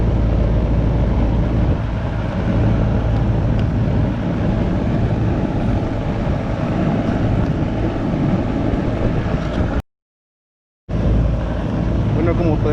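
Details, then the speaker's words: Goodman AC unit the customer says isn't cooling: only the steady fan whoosh and hum, no compressor drone; the compressor isn't starting because the 45/5 MFD run capacitor has failed. "Se escucha que la máquina nomás está trabajando el puro abanico y no está trabajando lo que es la compresora."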